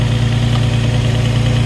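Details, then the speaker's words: Engine jump-started with a Jump-N-Carry box using the override after sitting 8 or 9 months with a completely dead battery: steady, even low hum with no knocks, misses or surges; normal idle. "The battery's completely dead, and that just jumped it. That's awesome."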